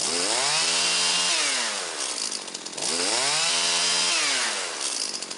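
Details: Husqvarna 325P4 pole saw, two-stroke, after repairing the ignition fault behind its severe miss and intermittent no-start, plus new fuel lines and filter: two clean rev-ups, pitch falling back to a steady buzz, no stumble or misfire.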